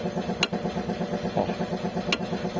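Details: Fiat Tipo: over steady engine hum, two sharp single knocks as throttle is applied, also clunking under braking; a loosened part and engine mounts (coxim) to be checked and tightened or replaced.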